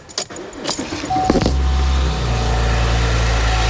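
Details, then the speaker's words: 5th-gen Chevy Camaro right after serpentine belt replacement: starter cranks briefly, engine catches and settles into an even, smooth idle with no belt squeal or chirp; running normally. "Well, sounds like it's working. Everything in there is super smooth."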